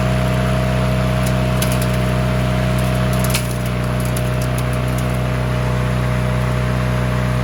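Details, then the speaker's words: Push mower that sat six years with water in the engine, after an oil change and with the throttle rigged at a fixed setting: steady hum with no misses, surging or knocking; normal running. "Well, this is running good. I'm gonna raise the deck up a bit, and then I'm gonna make it throttle up a little bit more, and then we'll go mow some stuff with it."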